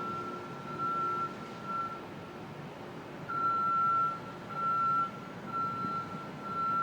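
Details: Construction equipment at 2 World Financial Center (Brookfield Place), Lower Manhattan, 7:15am: steady piercing beep about once a second over low site hum, heard by residents 400-500 feet away; reversing alarm working normally.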